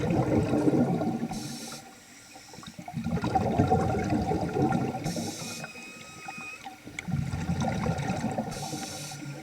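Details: Nemrod Snark III vintage double-hose scuba regulator during a pool dive: slow breathing cycles with bubbly exhales and a brief thin whistling tone mid-breath; never-before-heard odd noise, cause unclear, regulator still worked well.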